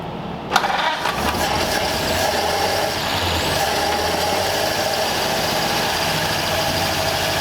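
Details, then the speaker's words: Long-stored 1934 Ford Delivery being revived, run with the choke off after slow, heavy-fuel cranking: a low, slightly uneven idle with a faint lope and smoky exhaust; it runs rough and the owner suspects valves not closing fully. "Definitely not happy. I bet there's valves that aren't closing all the way."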